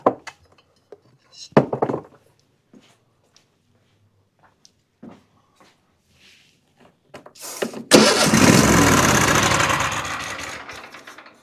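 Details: Troy-Bilt riding mower with Kohler 7000 engine: scattered clicks, then the starter spins the engine about three seconds without catching; cranks but won't run despite choke adjustment and plenty of fuel reaching the carburetor.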